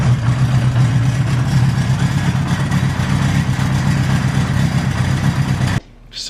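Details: Honda CB850 motorcycle that wouldn't start, first start after fitting a new battery (hooked up outside the bike, in neutral, fuel on): engine catches and keeps running with a steady, even low rumble at a fairly fast idle, no misses or knocks; normal running.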